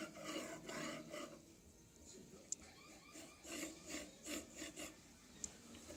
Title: Anet E10 bad bearings